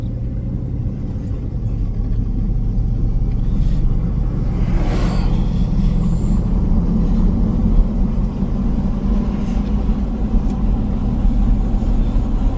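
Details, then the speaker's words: Lifted 2002 Chevy Silverado on a test drive after wheel hub replacement, listening at the wheel: steady low road rumble at cruising speed with no grinding, growl or cyclic hum; normal wheel hub. "sound good over there boy does it sound good sounds good to me"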